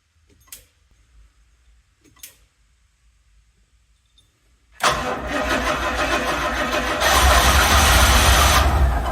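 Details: Rolls-Royce Silver Shadow after ignition tune-up (new rotor, cap, points, capacitor), old ignition wire and coil still fitted, for a choking/stalling issue; two slow cranks, then it catches and runs unevenly, surging and stumbling, hard start.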